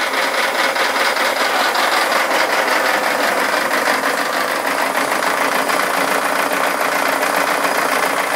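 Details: Mazda Miata, first start with fresh oil after 8 months sitting, after running about one second at full throttle with the throttle propped open: hard rapid metallic knocking at idle; cause unknown.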